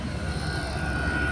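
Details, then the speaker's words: 5k all-aluminum Chinese diesel heater at 5 Hz pump setting going into full burn, drawing more power (about 11.4–11.5 V under load), output nearing 150: steady blower roar, constant high tone over low rumble, no ticking or surging; normal full-burn operation. "and it's going into a full burn right now, full on tilt. And now we're coming up to almost 150, and I can definitely feel the difference in the heat already."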